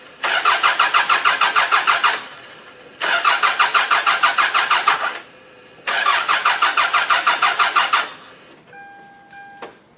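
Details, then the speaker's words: Mid-1990s Toyota Camry demolition derby car that ran and drove, then wouldn't start after being stripped: three cranking bursts with quick, even starter chugs that never catch. Cranks but no start, cause unknown. "I stripped the car to fill up a van to go to scrap just so I can have another car empty and now it will not start"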